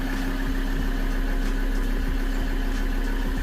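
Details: 2013 Ford Ranger 3.2L five-cylinder diesel after fuel system bleed, restarted following a crank-no-start with P062D injector driver circuit code, check engine light still on: even low diesel clatter at steady idle, no misses; idles smoothly.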